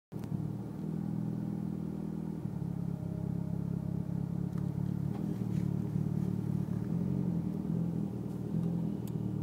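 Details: Mitsubishi Lancer Evo X petrol engine rough idle: low rumble that wavers and hunts unevenly rather than holding a smooth steady note.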